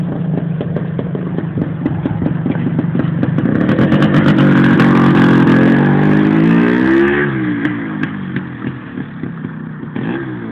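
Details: Yamaha DT400 two-stroke revs up and falls back with a steady rattle of about three per second; owner suspects piston slap or a lean condition, not confirmed.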